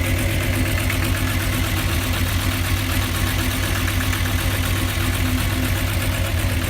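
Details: VW Jetta VR6 2.8, noise persists after new plug wires and spark plugs, engine lacks power: low steady idle rumble with a loose tapping about four times a second; abnormal engine noise, cause unknown.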